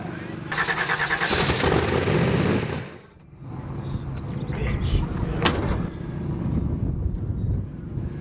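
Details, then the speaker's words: 4000 HP Apache race truck engine restarted after a suspected stuck-open injector washed fuel past the rings into the oil, run to heat the oil and boil the fuel out: loud start-up roar settling into a steady, deep, even rumble with no misfire or knock; normal start and idle. "We're gonna fire it up here, make sure it runs clean, get the oil nice and hot so it boils the oil, or boils the fuel out of the oil."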